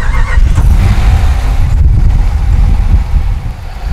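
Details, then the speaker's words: Ram truck 5.7 Hemi after the ticking engine was replaced with a new Jasper engine, revved outdoors in heavy wind: deep, even V8 rumble with no tick or knock; the engine sounds healthy. "She growls, baby. This engine is no joke. Jasper makes a fine engine, and man, when I hit that pedal, this is a completely different truck."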